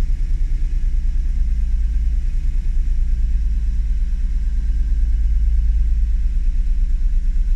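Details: Honda NSX at idle during fault finding; deep low rumble with uneven, slightly lumpy pulse and no clear knock, unsteady idle, cause not yet found.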